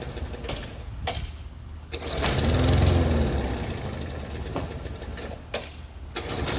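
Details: 3814 mower: repeated bursts of starter cranking with brief sputters that never catch; the mower cranks but will not start.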